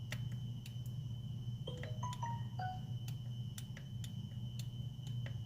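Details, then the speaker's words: 2010 Honda Pilot with EVAP codes, purge solenoid disconnected and powered directly from the battery: irregular sharp ticks with ringing chirps over a steady low hum, doesn't click properly; faulty EVAP purge solenoid. "the solenoid. Doesn't sound normal, doesn't click properly."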